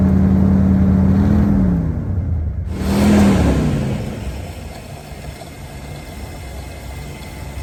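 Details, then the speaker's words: 1986 Ford Bronco 351 Windsor four-barrel V8, sat about 15 years, running on fuel poured into the carburetor: a deep, even rumble rising and settling cleanly with the throttle, no knock or rattle. Healthy, with a little smoke likely from exhaust buildup. "thing sounds pretty good sitting 15 years [Music] all right she runs good deal"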